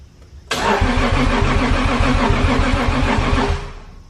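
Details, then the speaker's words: Nissan 240SX drift car (S14) with 1JZ swap, ECU Masters EMU Black base tune and AEM high-flow fuel pump: starter cranks evenly about three or four turns per second for three seconds but never fires; flooded cylinder, no-start. "It sounds like it wants to start. I'm gonna do some checks and then we're gonna come back to this."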